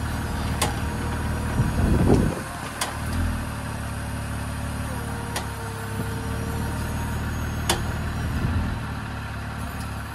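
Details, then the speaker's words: Jeep with Teraflex Alpine IR track bar, about 1.5 years old and second unit, tires on the ground with engine idling: steering worked to replicate sharp irregular clicking from the worn track bar joint. "putting in inserting the clip here you can hear the clicking of the of the track"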